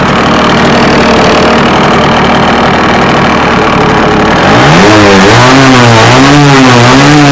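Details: Scratch-built early-1970s radio-controlled boat, two-stroke engine revived after twenty years unused, water-fed cooling working: steady buzz then revved, clean pitch rising and falling with throttle, no misfires; runs and seems to cool itself.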